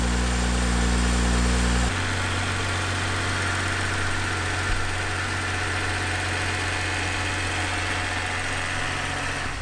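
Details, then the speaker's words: 2012 BMW 135i E82 N55, auction-totaled car being rebuilt, first start after battery reconnection: even, steady idle with a low smooth hum, no check engine light, no knocks or misses; sounds healthy, with a suspected minor oil pan gasket leak; normal idle. "well it runs yeah no check in tonight's or anything actually runs pretty good sounds healthy"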